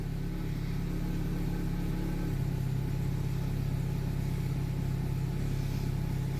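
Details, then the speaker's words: Daewoo Lanos 1.6, engine knock being investigated: a low, even idle with no misses, ticks or knocks, running smoothly. The exhaust leaks slightly, and smoke is rising from freshly greased exhaust manifold bolts as it warms. Normal idle. "Так, в общем, вот так вот работает двигатель. Достаточно ровно, без строений, без ничего абсолютно."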